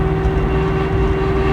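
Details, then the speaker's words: 1969 Mustang, 428 with C6, 9-inch limited-slip rear, 3.50 gears, 1,200 miles after restoration: steady droning howl at about 50 mph and 2,000 rpm downhill on light throttle, disappearing off throttle; rear axle suspected. "Back to 50 and 2,000, going downhill. Hear how loud that is? I just touched the gas again. I'm not accelerating hard."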